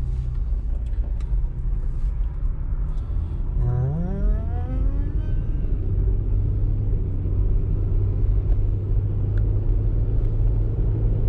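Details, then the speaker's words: 2004 Toyota Highlander test drive after repairing a seized rear brake: steady low road rumble, brief engine rev, no hum or grinding; wheel bearing noise is gone and the brakes feel good. "sounds better already yeah so we'll just go up here and we'll turn around and at least you can have her car back"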